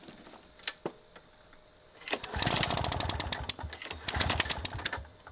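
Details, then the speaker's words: Vintage 1980s Toro GTS push mower, Suzuki two-stroke, being revived, started on choke: a few pulls, then a raspy two-stroke fires and revs unevenly with crackly buzz; engine running again. "Sounds like a two-stroke. What the heck, man? Holy smokers."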